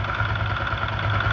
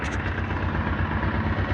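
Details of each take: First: Honda Titan 125 single-cylinder motorcycle after fixing camshaft noise without replacing parts: short, even idle with steady low pulse and no knocking or ticking, noise greatly reduced; engine sounds healthy. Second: Honda Titan 125 motorcycle at idle, heard through a microphone taped to a tool handle used as a stethoscope: a hard, regular clatter of about three beats a second, from a damaged cam sprocket.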